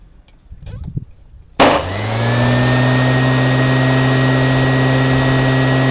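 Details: Qualcast electric motor after rebuild: a click, then it spins up within a second to a steady, even hum with no rattles or grinding; normal running.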